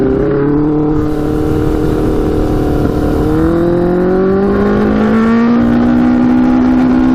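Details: Custom Yamaha Banshee with Suzuki Katana 600cc engine after Stage 4 rejet, first test ride, maybe not fully warm: note climbs slowly and labours under load instead of rising crisply; bogs, lacks power, worse than before.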